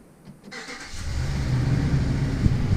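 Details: Used Ram 1500 Hemi, restarted after reconnecting battery and redoing the manifold: cranks briefly, catches cleanly and settles into a steady deep rumble with no ticking on top; engine sounds healthy.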